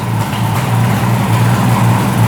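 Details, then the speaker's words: 1975 Suzuki GT750 two-stroke triple, revived after sitting since 1986: short throttle blip settles straight back to a smooth steady idle around 1000 rpm, no hunting or hanging revs; no air leaks, runs well. "I'm really happy with the way that runs. Comes right back down to idle. No air leaks."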